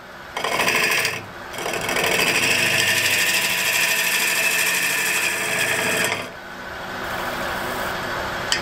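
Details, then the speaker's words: High-end wood lathe cutting with rough rattling chatter and pulsing vibration; a bump formed on the out-of-round workpiece shakes the machine, whose stability is poor and which stops too easily. "Là, on l'entend. Il y a des vibrations énormes. Je sens que c'est une bosse qui s'est formée."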